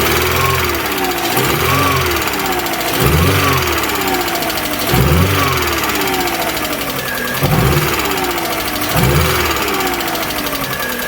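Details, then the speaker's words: Alfa Romeo 147 Twin Spark, towed in hard to start: uneven idle with a heavy stumble about every two seconds; misfire and rough idle caused by one cylinder lacking compression. "so the lack of compression of course it will do a misfire and of course we'll do a rough idle so the rough idle and the misfire are a consequence of the lack of compression"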